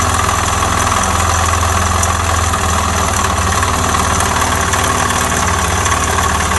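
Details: Suzuki Djebel 250 single-cylinder motorcycle that made noises then stalled while riding and stopped starting: rough steady low thumping idle with a faint knock; engine knock cause unknown, timing marks and valve cover to be checked.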